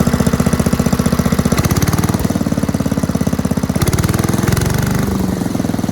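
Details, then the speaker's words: 1984 MTD Air Sweeper (model 245-692-000), 36 years old, flathead Briggs & Stratton 5 hp (engine model 130212-1731-01): steady, even single-cylinder chugging at fast idle, no knocks or misses; runs healthy. "It ran at full speed just fine, idled down, sounded really nice, better than most newer engines actually."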